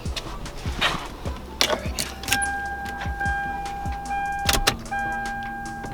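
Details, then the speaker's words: Lexus LS400 with relocated fuel and brake lines, low fuel, key on to prime the fuel pump and check for leaks (expected about 40-45 PSI, none found); steady faint hum for a couple of seconds among clicks; normal fuel pump priming. "I know that I don't have much fuel, but I'm gonna start it up. I'll let the fuel pump prime and then at least make sure there's no leaks for right now."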